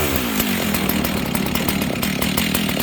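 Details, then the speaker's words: Husqvarna 61 chainsaw with the low-speed jet leaned out from rich and a worn but better clutch fitted: steady, even two-stroke idle with no surging, holding idle with the chain brake on. "Okay, so now notice I leaned the low jet out. This thing idles, and it will idle with the chain brake on."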